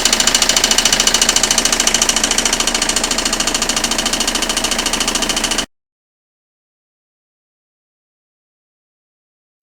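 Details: Citroën Xsara 2.0 HDi 90 hp diesel at idle: sharp, very regular clatter about three and a half times a second from the timing side, varying with engine speed; the crankshaft damper pulley had failed.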